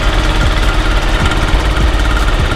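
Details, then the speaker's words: Zuma scooter, about 9,900 miles, with new exhaust and gasket, swapped airbox, oil just added: small single-cylinder idle with a loose, uneven rattling clatter over it, from a part chattering where a bolt is missing. "yet so you saw we just put some oil in it and I also found the rattling noise is right there the bolts missing"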